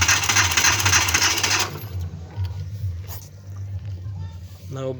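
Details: Car with an overheating and crank-only, no-start issue, radiator mentioned: the starter churns rapidly for under two seconds, then stops and nothing catches. It cranks but won't start; cause unconfirmed.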